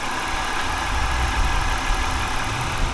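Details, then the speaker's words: BMW E46 wagon whose plugs were fouling black; now idles with a low, even rumble, no knocks or misses, running quiet as it should. Owner suspects some mode or running condition; oil likely fuel-diluted. "right now its own actually sounds normal right now running super quiet like it should"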